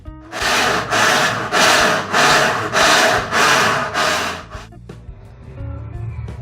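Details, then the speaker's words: Harsh rasping scrape, about 100 strokes a minute, from a Brastemp top-load washer whose gears fail to engage: broken brake actuator at its base and a second defect. "máquina tá fazendo um barulho insuportável quer dizer vou mostrar um dos defeitos né que deu na verdade foi dois defeitos primeiramente esse atuador aqui ó esse atuador de freio ele quebrou aqui embaixo no pé"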